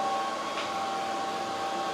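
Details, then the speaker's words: xTool P3 CO2 laser engraving after replacing a cracked leaking water tank; exhaust fan on, smooth even airy hum with faint steady tone, no knocks or rattles, no error notice, tank holding, running normally. "I mean it seems to be working it's working I didn't get an error notice it's engraving right now"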